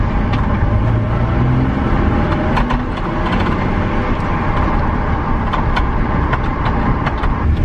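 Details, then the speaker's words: BMW E46 323ci 6-cylinder on a test drive after fixing a no-start and misfire: the engine pulls steadily under load over road noise with an even note, no stumbles and no misfire. "no misfire you bloody beauty she seems to be round and smooth smooth she seems to be running smooth ads after that trip so happy with that"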